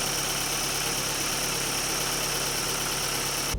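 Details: Daewoo Lanos petrol engine at idle after replacing four rockers (a fallen-out oil gallery plug had starved the hydraulic lifters): steady, even hum with no lifter tapping.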